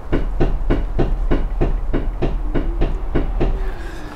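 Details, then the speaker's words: Toyota AE86 Corolla with the wheel rocked in and out by hand: sharp, evenly spaced clunks about three a second from rear axle end play, suspected bad rear wheel bearings. "there's slop like that that's usually a pretty good indication something is wrong back there"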